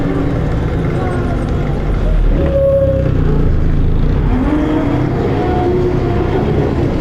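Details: Volvo B10BLE bus diesel drone with brief wailing tones sliding up and down in pitch, an unidentified strange noise; bus also has a bad idle.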